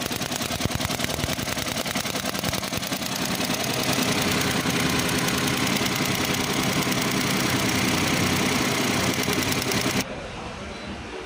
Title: P0301 cylinder 1 misfire detected